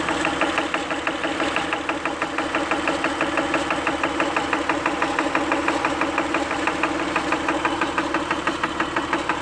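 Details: Acura at idle: crisp, very regular ticking roughly three per second over a steady idle, a clear top-end tick with no obvious cause; engine ticking at idle.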